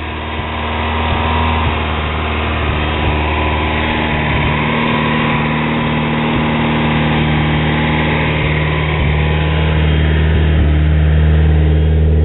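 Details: Rebuilt 440 awhp 1G Eagle Talon TSi DSM turbo four with 160 psi compression on all cylinders, a Kevlar Extreme timing belt and new genuine Mitsubishi covers, pulleys and front case. A smooth, even low idle with no ticks, knocks or misses is a normal, healthy idle.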